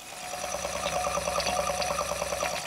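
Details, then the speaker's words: Old Schneider CDP7000 CD player: fast, even ticking chatter over a quiet hum as the laser pickup jumps and keeps hunting instead of playing; CD skipping and searching, a track/search problem. "it's a it's a search it's also the track a track problem interesting"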